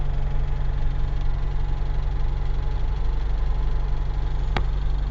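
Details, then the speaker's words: UZAM 1.5 petrol engine after rebuild, knock appeared around 1,200-1,400 km despite valve adjustment, slight choke, fast idle 1500 rpm: low, slightly uneven thumping; source unknown, chain rubbing tensioner noted but owner doubts it. "Вот он. Как будто где-то что-то висит и что-то стучит. По тахометру 1500."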